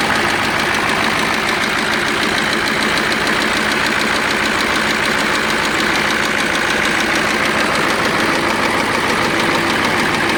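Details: KAMAZ crane truck diesel that knocks and expels antifreeze, coolant bubbling from gases: heavy, fairly even knock about three a second at idle; stuck injector, compressor or cylinder liner suspected, not confirmed.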